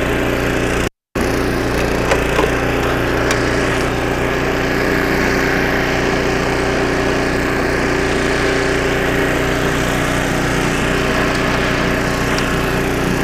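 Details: 25-year-old snowblower after a carburetor rebuild (new needle and seat, carb kit), first-pull test with choke: steady, even engine drone holding speed while the auger chews through snow, no stumbling. Normal running under load.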